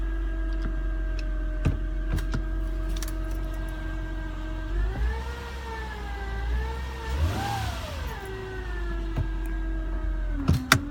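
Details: 2009 Acura TL 3.5 base: whining/whirring noise that began about two days ago, climbing in pitch and getting whinier as RPM rises with acceleration.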